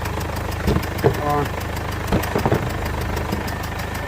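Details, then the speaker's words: 2015 Mercedes CLA 220d diesel, at first start: irregular soft puffing from the back of the engine over a steady idle, worse at times; a leaking injector was found. "there is definitely a sort of a puffing noise coming from the engine somewhere at the back oh you can definitely hear it"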